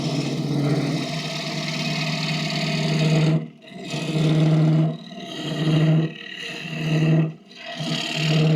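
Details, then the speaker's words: Wood lathe roughing 4-5 in deep maple bowls: steady low droning hum that drops out as the tool lifts and returns under cut; lathe vibrating, owner suspects a lot of overhang past the jaws rather than the tool rest; not confirmed. "now as I'm watching this and going over this maybe it wasn't you know the 10in or the the tool rest but maybe it's just the fact that these are like four to 5 in thick or or deep bowls and that I've just got a lot of overhang out pass the Jaws"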